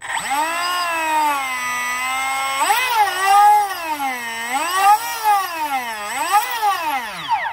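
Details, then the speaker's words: 1:20 scale wooden RC hydroplane, brushless motor and freshly greased wire drive in the collet, spooled up to check for binding; clean tone rising and falling with throttle, no scraping, no heat found afterward, normal spin-up. "If you got heat, that means something's binding. Alright, do a water test, make sure she's watertight. Spool it up."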